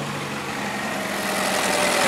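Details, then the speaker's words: 2014 Chevrolet Cruze RS, engine running with AC on, owner complaining fans run too often; loud steady rushing air roar builds over seconds as radiator fans kick straight to high speed; cooling fan running on high speed. "let's just go see for gret see giggles if the fans are running on earth all of a sudden they just whip on on high speed"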